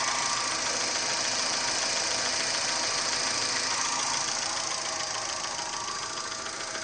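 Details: Chevrolet Gentra engine: steady, light metallic tapping at about three and a half per second over a smooth idle; a regular engine knock of unknown cause.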